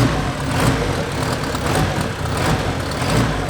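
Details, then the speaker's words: First startup of a Honda K24 turbo on an untuned base map, warming up before being trailered to the dyno; deep, uneven loping idle with surging loudness about every half second, rough idle. "Obviously, it's not tuned. We have like sort of a base map, but Danny recommended not to drive it, so we actually have the trailer outside ready."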